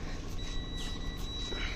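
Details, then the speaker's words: Semitrailer ABS wheel-speed sensor, cleaned of grease and dirt and pushed back against the tone wheel: a steady high-pitched meter tone holds while the wheel turns, over a faint rumble; the sensor produces signal and is working. "This means that our ABS sensor is working."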